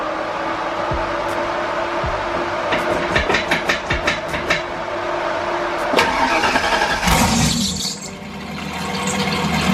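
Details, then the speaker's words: Turbo Fox-body Mustang after fitting an EGR block-off plate and redoing the turbo piping: starter cranks, engine catches, revs and drops to a steady idle with turbo sound audible; idle fixed, normal startup. "and as y'all can hear and see we are pretty good I love the fact that you can hear the um the turbo sound like like coming straight up and out so she sounds good she's idling great"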